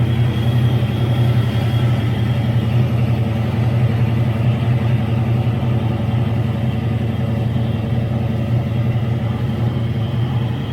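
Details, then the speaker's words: Old-school supercharged Foxbody Mustang, blower capable of upwards of 500 hp, idles with a deep even rumble and a constant high straight-cut blower gear whine; normal and healthy. "i mean come on guys you gotta love that sound and if you don't like that sound they make one that's not that loud so with that being said i love the supercharger"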